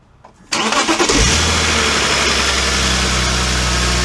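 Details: BMW E46 330Ci manual coupe after a cooling system refresh (new radiator, water pump, thermostat, aux belt, pulleys): short crank catches cleanly, then a steady, even idle with no ticks, squeals or belt chirp while warming up to bleed the coolant; normal start and idle.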